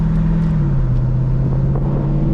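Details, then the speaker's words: Mercedes SLK 55 AMG (R171) with the M113 V8, after replacing the broken drive pulley and serpentine belt, driving roof-down: a deep, even V8 rumble pulling steadily under throttle, no knocks, squeals or belt chirp; sounds healthy. "that's the sound that's what made me fall in love with this car oh my goodness oh she's a keeper"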